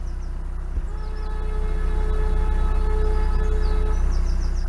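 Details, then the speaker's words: Boat Aitch's horn, sounded before a blind sharp-right bridge, gives a thin, faint, feeble tone barely standing out over the steady low diesel chug; a damp squib, owner hopes it's louder at the boat's other end: weak horn. "sounded like a bit of a damp squib. I hope it's loud at the other end of the boat."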